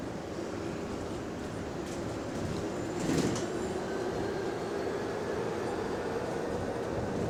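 Steady rolling rumble and road hiss with no creaks or groans over the bumps; the suspension sounds quiet and healthy.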